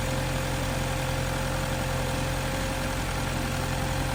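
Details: 2017 BMW 330e started after jump-starting weak small front battery (no-crank, click-only fault): low, steady engine hum at idle with no misses, knocks or clicks; runs smoothly, normal idle.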